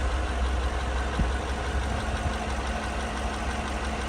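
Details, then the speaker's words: 2017 GMC Sierra after swapping the worn 5.3 LT (dead no-compression number 3 cylinder) for a used L83 5.3 V8. Lumpy idle with an uneven beat and skipped strokes, a cylinder dropping out; owner suspects bad coils or O2 sensors. "But we're getting some misfires. I don't know if this motor had some bad coils on it."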